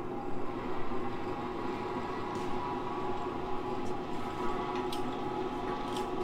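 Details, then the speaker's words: 1960s vertical milling machine that had been stuck solid, now freed and running with a slight clunk: engaging the power X-axis feed gives a steady gear-train hum with a faint whine and light clicks. The feed works normally. "so it has a power x-axis so if I engage that let's see if this works sweet"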